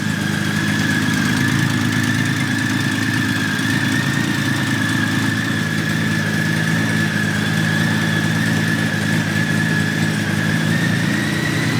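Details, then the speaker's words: 1997 Honda Valkyrie after sitting 10 years, restarted with no choke connected, starts instantly: low, even idle holding a smooth steady beat with no misses or knocks; normal idle. "This is how quickly this thing starts up. That's it."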